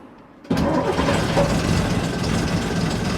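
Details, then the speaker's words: AEC Matador 7.7 litre diesel after injection pump and injector overhaul, hot restart after over an hour's running on a cold day: catches almost instantly and settles into a steady, even idle with no misses or knocks; normal hot start. "Lovely. Sounds good."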